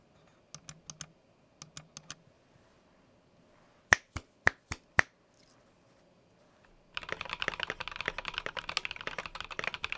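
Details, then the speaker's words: Stock Keychron Q1 mechanical keyboard with pre-lubed stabilizers and lubed switches, before mods: clacks with a faint high metallic ring after each keystroke, case ping from a long thin metal piece under the F row acting like a tuning fork. "there's this long piece of thin metal that's just running across the top under the f row and that's sort of acting like a tuning fork or a guitar string so if we dampen it a little bit we can reduce the vibrations and pinging"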